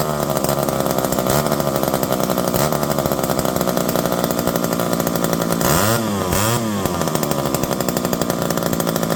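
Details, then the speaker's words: Revived electric-start McCulloch 5-10E chainsaw with borrowed idle screw, idle possibly a touch high: crisp buzz with steady idle, then two clean rev rises and drops; runs healthily. "This one's not doing too bad. Throw a bar and chain on it. Once you put them under a little bit of a load, they tend to calm down a little bit."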